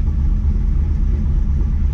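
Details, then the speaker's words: V8 car at about 75 degrees after new spark plugs and repair of a burnt-through plug wire, warming up: a deep, steady rumble with an even beat and no misfire stumble, now firing cleanly on all eight cylinders. "it feels like it's running a ton better right now so uh i guess that helps when you're running on all eight cylinders oh yeah that sounds mean"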